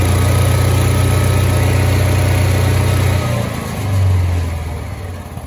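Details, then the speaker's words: Kawasaki FE290D single-cylinder engine in a John Deere Gator, after replacing the failing ignition coil that made it run and die, buck and backfire: steady low thump at about four beats a second, brief rev and settle, smooth and even; normal running. "guys we got the john deere going one more time put a new coil on it and that fixed the issue"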